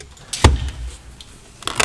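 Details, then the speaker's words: New Audi Q5 center console: short creaking and squeaking bursts as loose interior trim is pressed and flexed. The squeaks also occur while driving. "вот это вообще шикарно причём всё это не только при трогании рукой это ещё и в движении такие вещи происходят так бывает на автомобилях Audi"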